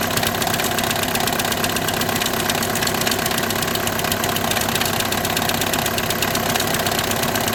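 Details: 2008–2014 VW with DSG gearbox at even idle: a constant gritty buzz and rattle that never settles. The diagnosis is DSG clutch plate vibration, with the plate bearing also tagged.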